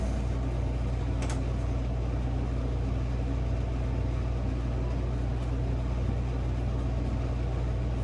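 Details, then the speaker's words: Cafe cooler condensing unit on R-404A after replacing a leaking suction-line service valve, vacuum and recharge: on power-up the condenser fans come on and the compressor kicks on, valves mid-seated; steady low hum, normal compressor startup. "Oh, that's a good sound. I hear the condenser fans are on. I just heard the compressor kick on. We are starting to pump."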